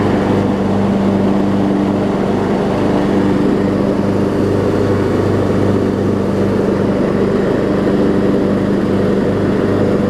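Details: Troy-Bilt Bronco, Briggs & Stratton 18hp Intek, Chinese Nikki-copy carb with drilled low-side jet, air filter on, low fuel; steady drone with slow gentle rise and fall every second or two, mild surge, much reduced.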